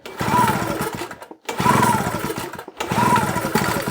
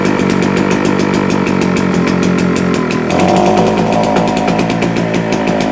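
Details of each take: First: Hard starting on a JCB two-stroke generator unused for a couple of years, with the throttle worked manually: three pull-cord cranks about a second apart, each a brief churning rasp that dies away without catching. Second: JCB two-stroke generator, first run after sitting unused a couple of years, possibly too much two-stroke oil in the mix, putting out 200 volts: buzzy note holds steady, then settles to a slightly higher smooth run; running healthy.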